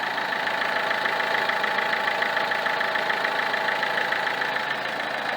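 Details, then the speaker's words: Peugeot 307 2.0 HDi 110 hp (RHS) diesel at idle: a fast, fairly even rattle about three a second over the idle. A wooden-stick stethoscope finds abnormal vibration at the alternator; worn Bosch alternator decoupler pulley. "quand je le pose sur l'alternateur je ressens bien une vibration à normale après il faut avoir l'habitude mais là il devrait pas autant vibrer"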